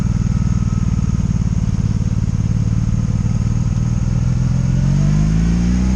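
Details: 2002 Honda Magna VF750C, warmed up, in gear on its first non-stop test ride after it previously died when put in gear: smooth rising tone as revs climb, pulling cleanly with no ignition cuts, stumbles or bucking; normal running.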